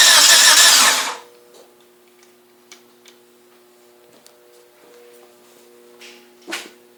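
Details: 1G DSM cranks briefly but never catches and goes quiet: a crank, no start.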